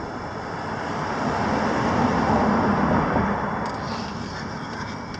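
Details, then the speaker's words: 2006 Toyota Prius starting up after its catalytic converter was stolen: loud, raw, unmuffled drone that swells then settles as it warms, very loud in the cabin; missing catalytic converter. "okay yeah it's so funny right like the engine shuts off and once it turns on it's just really freaking loud man it sucks"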